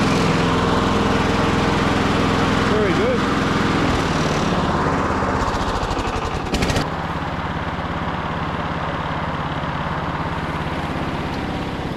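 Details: Victa Briggs & Stratton push mower after fitting a new trimmed cable: even, rapid single-cylinder putter at a steady pace, no misses or surging; engine sounds healthy.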